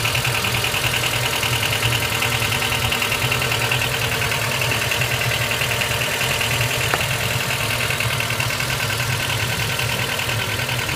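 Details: Honda Step WGN RG2, 2005 (Heisei 17), abnormal engine noise at idle: faint, fairly even ticking or knocking, roughly two to three a second, over a hissy background. Cause not confirmed.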